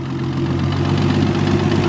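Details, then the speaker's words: Freshly rebuilt Nissan RB engine in R33 Skyline at 60° temperature, timing correct, oil pressure reading 100, no leaks; steady low idle with constant viscous fan whoosh, no ticks or knocks; normal idle. "temperature it's currently it 60° nice smooth a running a you seem satisfied"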